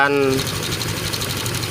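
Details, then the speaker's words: 2018 Honda Vario 125 FI after valve clearance adjustment, head open: smooth even idle with soft steady hum, earlier rough ticking gone; valve lash was the cause, valve train now healthy. "kembali tutup headnya ya oke teman-teman mudah-mudahan bermanfaat buat teman-teman ya motor sudah halus kembali cuman masalahnya setelan klep saja"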